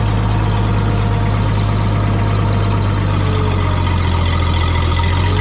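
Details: Old tractor idling at about 7:30 am: deep, steady low rumble with an unchanging beat and no knocks or rattles. An earlier slight miss and high idle cleared after running, possibly spark plug deposits. Normal smooth idle.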